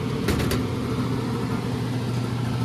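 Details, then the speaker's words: Carrier oil-fired furnace in a commercial warehouse with a failed control board, fan bypass-wired to 120 V: rough, heavy low drone and coarse rumble from a worn blower motor that is due for replacement. "we're going to replace that fan motor too because based on its its sound and then this board is going to be bad"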